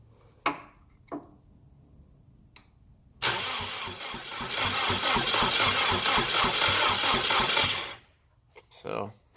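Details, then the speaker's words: Subaru BRAT with a WRX engine after resetting the timing, cranked by jumping the starter terminal with no fuel: steady rapid cranking around four beats a second with even compression pulses and no valve clatter. It turns over healthily with compression but does not fire. "you guys can hear it's definitely spinning over I don't hear no valves contacting so that's good obviously ain't got no fuel so it ain't kind of start but we know the motors decent sounds like it's got compression"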